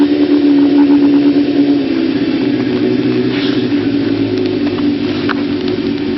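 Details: 1992 Kawasaki ZZR-600 (ZX600D) four-cylinder, older bike, stock exhaust believed unmodified: steady, even smooth hum with no knocks or rattles. Running healthy.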